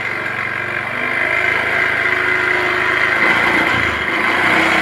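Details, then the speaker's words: Honda automatic scooter after the EOT oil temperature sensor fix. Starts easily and settles into a steady, even idle with no stumbling or misses. Normal idle after repair. "hidupnya Akak gampang setelah kita lakukan Cara ini hidup gampang berbuat di awal juga hilang ya"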